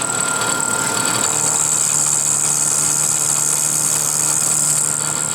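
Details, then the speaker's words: Milling machine pocket finishing pass by dials: high, steady spindle whine with faint cutting hiss building as the cutter takes the last 5/1000ths off the left wall, stopping at 375. Normal light finishing cut. "So now we're taking 5/1000ths off this left wall. This one will stop to the back. We'll stop at 375. There's 50, 60, 75. You can hear it just starting to cut as it takes that last 5"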